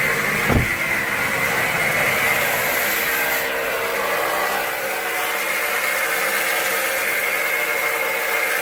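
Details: Steady high whine over the running engine, from a rust-marked alternator suspected of a failing bearing, possibly with worn idler pulleys; the belt is to be removed and the pulleys spun to confirm.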